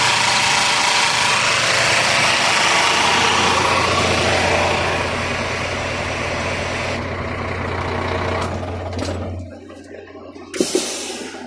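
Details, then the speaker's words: Scania truck, 13-liter diesel, idling: harsh, hissy whirring rattle appears with AC on then drops away; noise from the AC compressor magnetic clutch. "So yung ingay niya guys, dito guys sa guys, sa compressor niya, dito sa magnetic clutch niya guys, ito. Pag i-on mo to guys, pag i-activate mo to, dito galing yung ingay niya."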